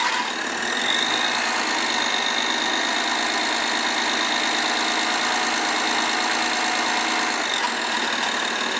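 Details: 2008 BMW E60 530i N53 at idle: constant dry metallic clatter from rear of engine; garage blamed the high-pressure injectors, owner not convinced; cause unconfirmed.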